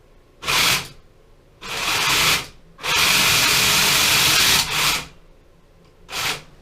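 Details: 3D-printed tank on its first outdoor test run, driven from an Xbox One gamepad: the drive motors whir up in sudden uneven bursts of about half a second to two seconds with no pattern; the owner suspects the controller or software.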